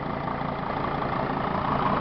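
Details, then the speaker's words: 2006 Dodge Sprinter 2500 diesel van that sat for about a week, started right up, fluids all full. Even, quiet diesel idle with a steady low clatter and no misses or knocks: healthy. "I just started this vehicle and it's been sitting for about a week and it started right up. All these diesels crank up really nicely and they're quiet."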